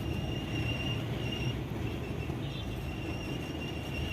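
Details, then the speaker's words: Toyota Fortuner, on-and-off faint high squeal over road rumble from the left side, heard only below about 30 km/h and gone at higher speed; cause not yet found. "ज्यादा speed में आवाज नहीं करता है थोड़ा सा speed बढ़ाएंगे तो आवाज थोड़ा सा स्पीड बढ़ाएंगे आवाज बैंड हो जाएगा फिर 30 के नीचे कर देंगे तो आवाज आएगा"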